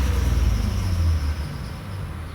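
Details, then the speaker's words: Engine held slightly above idle while chasing overheating: deep rumble, uneven with a dip and surge, running rough once the radiator fan kicks on; idles perfectly with fan off, normally dies a few seconds after fan starts; temperature gauge normally pegs. "As you can hear, the fan is blowing. The motor is running rough now that the fan is on."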